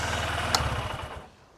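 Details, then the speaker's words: Honda CB125F 2026 (SP 125/CBF125) single-cylinder, just after valve clearance adjustment, in neutral: short burst of even idle with no top-end ticking before shutdown; sounds good. "We can start engine and just double check is it working. Okay. Uh don't forget to put it in neutral. Now let's start. Yeah, it sounds good."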